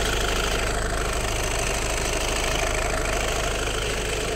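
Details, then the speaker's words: Rattle at idle from the rear of the engine on a high-mileage car (605,000 km in 9 years): fast uneven takır-takır rattle, about three taps a second, on every start, cold or warm; it changes when the clutch is engaged, likely clutch or flywheel area. "ilk çalıştırdığımızda tane ne kadar bir ses arkadan veriyor arkadaşlar takır takır takır takır mi"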